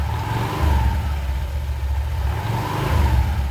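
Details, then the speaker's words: Honda Vario 125 ESP scooter after blowing the dusty clutch bell clean with a compressor. A smooth, even rise from standstill with no shudder as the throttle opens: the initial pull-away judder caused by clutch dust is fixed. "Hai mantep suaranya jadi normal kembali ya enggak ada ngleduk di awalan ketika gas ditarik"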